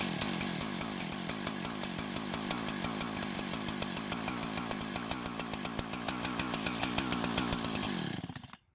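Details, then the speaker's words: Husqvarna professional-grade chainsaw that wouldn't start and leaked fuel, started with no fresh fuel after long disuse: rapid even two-stroke firing buzz for about eight seconds, then dies cleanly as the residual fuel runs out; engine and carb working. "so it appears the engine and more importantly the carb is in working condition and was running on the fuel that was still left in it from the last time it was working"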